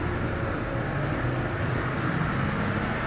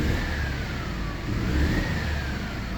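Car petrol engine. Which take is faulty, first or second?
second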